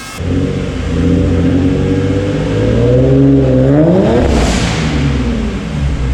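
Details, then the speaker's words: Nissan 350Z with home-built twin turbo setup, rev limit set to 5,000 RPM, on a test drive in second gear: engine under load climbs steadily in pitch as boost builds, a clean rising tone with no flutter, then lets off; turbos making boost normally. "but yeah we're making boost now we are making boost"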